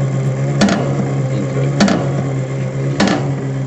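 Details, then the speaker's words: Dry ice blaster hopper: steady motor hum with a sharp knock about every 1.2 s as the percussion arm bangs the hopper side to keep ice pellets flowing smoothly to the screw feed; normal operation. "that knocking sound that you can hear is a percussion arm which repeatedly bangs against the side of the hopper to keep the flow of ice pellets nice and smooth down into the organ"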